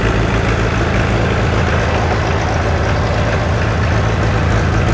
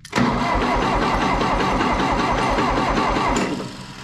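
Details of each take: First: 1960 John Deere 1010 diesel tractor, first run since budget engine rebuild, started with starting fluid: steady even diesel clatter at constant idle, no misses or knocks; sounds healthy. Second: 1960 John Deere 1010 diesel tractor after an engine rebuild, glow plugged and primed, cranked off a jump pack: even but sluggish cranking, about 3.5 turns a second, fading without firing. Too slow to start.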